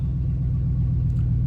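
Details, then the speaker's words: Gas truck with 5.3L Vortec V8, E3 plugs and a cold air intake, just started after a Diablo tune (spark and fuel changed; owner suspects too rich), before warm-up. Deep, steady V8 idle with an even beat, no misfire or ticking; sounds good. "She sounds good. I'm gonna go ahead and let it warm up a little bit, and I'm gonna take it for a drive."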